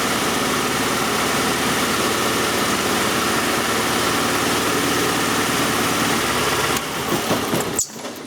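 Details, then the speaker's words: Oldsmobile 2.3L Quad 4 running with a coarse, shaky misfiring idle that sags and nearly stalls when an injector is unplugged; cylinders probably two and three carry it, misfire traced to cylinders one and four; shorted injector. "I have it running and sure you can hear it midf firing not take my word for it but if I disconnect sorry about that if I disconnect the um the center to it would almost stall"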